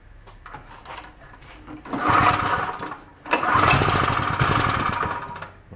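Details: Onan K450 small single-cylinder generator, long sat: catches after a few cranks, then settles into a steady, even run with a little surging; running normally.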